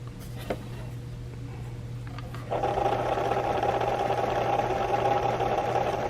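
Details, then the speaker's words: AHM/Tyco HO scale rolling lift bridge model, motor in its housing turning the winch wheel on very little power: motor kicks in after about two seconds with a steady mid-pitched whir over mains hum; smooth, normal running. "it's not too bad. It works with very little power."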